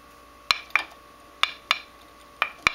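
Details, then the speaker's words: Grinding wheel ring test, wheel held loosely and tapped lightly: six short dull clacks dying at once with no ring; cracked grinding wheel that should be replaced. "so you can hear there's no ringing at all you don't have to tap it too hard so there's a good one there's a bad one"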